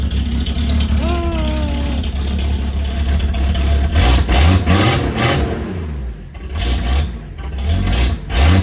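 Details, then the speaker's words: Ford LTD/Fairlane six-cylinder with the old muffler removed, running straight-through. Loud, raw, open exhaust bark swells on each throttle blip. Owner says it sounds really good but isn't sure it suits the car. "It actually sounds really good, but I'm just not sure it suits the car."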